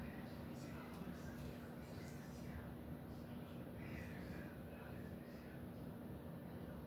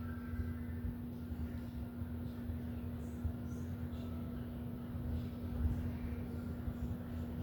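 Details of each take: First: 52" Home Decorators Tahiti Breeze ceiling fan on high, truss-mounted: a steady low hum with a faint fixed tone near 240 Hz holds under the airflow rush. The motor hums on high in either direction. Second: Startup of a 52" Home Decorators Tahiti Breeze ceiling fan, filmed up close: a quiet, steady low hum holds one even pitch as it spins up, with no grinding or clicking. Normal motor hum, though the owner notes slight wobble on medium and high.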